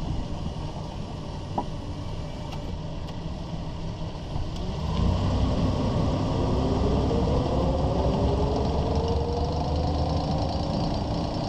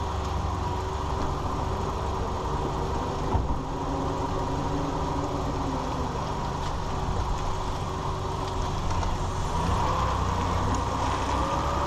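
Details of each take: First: 2001 Ford Ranger driving at walking speed: an irregular, loud clicking rattle from under the truck over road rumble, which has lasted over a month, with vibration on the driver's side at 50–60 mph; caused by a worn front driveshaft CV joint. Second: 2001 Ford Ranger 4x4 driving after rebuilding the front driveshaft CV joint; steady, even low drone with no rattle or clunk, the earlier clicking rattle heard at walking speed now gone.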